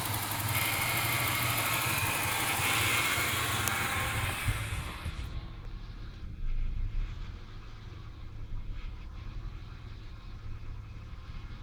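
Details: 1996 Ford Falcon EF 4.0L inline six: rough idle with stumbles, revs sag as if nearly cutting out; occurs in P, N or D, smooth under load, compression in spec, no vacuum leaks. Idle misfire.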